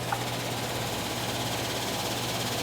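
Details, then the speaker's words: Gas furnace, fans reported making lots of noise: after the exhaust fan motor runs quietly, the blower kicks in with a steady low hum under a loud even rush of air; technician suspects the bottom blower fan motor, unconfirmed. "but it's probably the blower fan motor on the bottom that's a problem."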